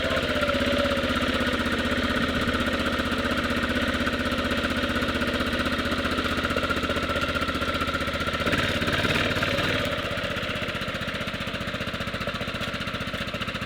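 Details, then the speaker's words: 1998 Yamaha Grizzly 600 single-cylinder ATV just rebuilt with replacement wet clutch and reinstalled one-way bearing: even thumping idle, slightly labored and fast, owner says it idles a little hard, sounds like choke on; cause unconfirmed. "Does kind of sound like it's idling a little hard."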